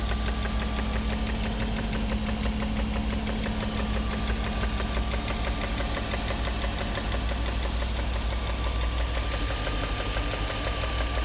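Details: 1994 BMW E36 325is petrol engine idling with a loud, fast ticking and slight rough idle that smooths out above idle; no engine codes; started after a long high-speed run at 135+ mph.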